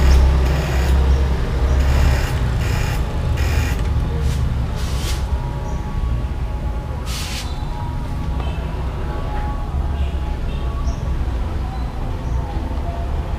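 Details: Yamaha R15 that would not start on the starter, tested after connecting leads plus to plus and minus to minus: single-cylinder engine catches after a few rough bursts, then settles into a steady, even idle with a low, unbroken beat; normal start.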